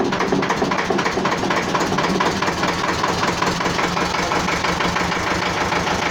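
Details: Old Renault N72 diesel, started in neutral, settles into a steady idle. Even clatter with no missed beats; running normally.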